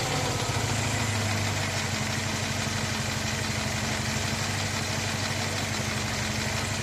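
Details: Moskvich 2140 engine at idle: regular, fairly even tapping knock about three per second; internal engine knock, source not pinned down.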